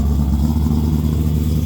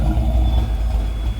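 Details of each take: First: 5.0 V8-swapped Nissan S13 240SX, cold start after a dead battery: deep, steady V8 burble at idle with a strong low rumble and no knocks or ticks; the engine sounds healthy. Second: 331 stroker V8 at idle: deep rumble with a slight rise and dip as it hunts for idle; it is running lean and rich, and a log may be sent back to the tuner.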